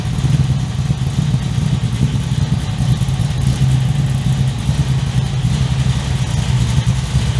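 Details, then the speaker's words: 355 stroker V8 in an HX One Tonner, restarted after 11 years unrun, Repco Engineering exhaust, recorded on a shotgun mic walking around: deep, lumpy, tough idle with a steady rumbling exhaust beat, loud but not obnoxious, no knocks or ticks; healthy. "It's loud, but it's not over the top obnoxious loud. It's got a nice growl to it. The idle is nice and tough as well."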